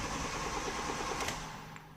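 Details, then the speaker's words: Nissan Primera P10 1.6L GA16DS carbureted 97 hp, cold crank without throttle: quick even chug for about a second fades without catching; starts only with throttle; damaged valve admitting air found as cause, not autochoke. "okay the engines don't start i have petrol okay the in the tank is nice it's full or it's not full but yeah and when i give rest the engine starts"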